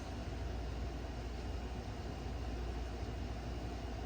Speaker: refrigerators make noise, but it's not a rumbling holy crap kind of noise.